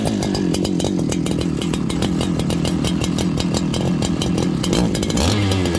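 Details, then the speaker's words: Farmertec 288 kit chainsaw right after an oil pump repair, before carb tuning. Runs rough and blubbery, firing unevenly and stumbling rather than settling to idle. Carburetor set very rich, poor idle; low jet to be turned in to lean it. "I gotta tune this thing it's uh it's really unhappy it's it's very rich right now it doesn't want to idle"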